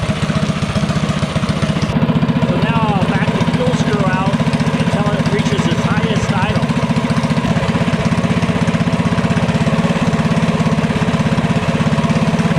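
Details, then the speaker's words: Mini bike with DuroMax 208 single (header pipe, Tillotson 212 flywheel) and new VM22 Mikuni carb, warmed up, fuel screw about 1.5 turns out: fast, even idle with steady beat, no stumbling; highest idle reached, pilot jet in the ballpark. "so this one here achieved its highest idle at about a turn and a half out so it's running its most efficient in the pilot jets in the ballpark"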